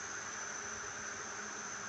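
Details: High-rpm scooter hub motor adapted onto a bike, run as a known-good test motor: steady high-pitched whine at constant speed, smooth with no clicking, grinding or surging; healthy.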